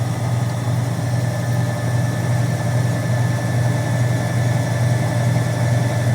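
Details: Alternator spinning on an alternator/starter bench tester: a steady, even whirring hum with a strong low drone and no knocks or grinding. Testers remarked it sounded weird, possibly from extra load, but the test read 14.9 and passed as good.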